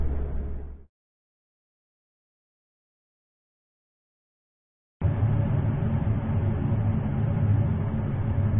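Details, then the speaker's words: GE bottom-freezer refrigerator: even airy whoosh and steady low rumble of fans running at high speed after frequent door openings, loading groceries or first plug-in, no rattles; normal sound. "When the doors are opened frequently, the groceries are loaded, or when the refrigerator is first plugged in, you will hear fans running at high speed. This is normal."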